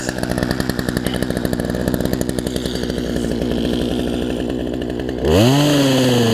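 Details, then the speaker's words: Poulan Pro 18-inch two-stroke chainsaw, running after first two-stroke fix (pinched fuel line suspected) and chain refitted, cutting a log: pulls down evenly under cutting load, then revs up cleanly and holds a strong high pitch; running properly. "y'all saw it cut a tree so I'll leave the video here again first to cycle fix for me which is awesome"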